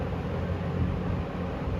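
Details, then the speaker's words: 1974 Kmart (Lakewood) P23 20-inch box fan on medium, oiled before purchase, heard from about 6 feet: steady low whoosh with soft even motor hum, no ticking or rubbing; nice running harmonics, smooth and healthy. "It has very nice running harmonics. I think they sound great."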